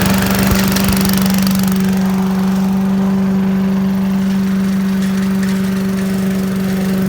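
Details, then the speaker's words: 1980s Billy Goat vacuum: the small single-cylinder engine holds a steady buzzing drone with no misses or surging. It needs extra pulls, maybe low compression, but runs well. "well folks hey looks like it works looks like it just uh I don't know needs a few extra pulls maybe low compression or something but runs like a champ once it runs"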